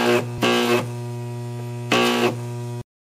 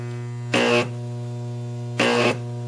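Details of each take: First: Large deshunted microwave oven transformer powered for arc testing: steady heavy mains hum with harsh crackling taser-like bursts, then cuts out; internal arcing from secondary to core or elsewhere. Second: Deshunted large microwave oven transformer (MOT), no capacitors, first arc test: steady low mains hum with two sharp crackling buzzing bursts about a third of a second each; very bright, strong, healthy high-voltage arcs.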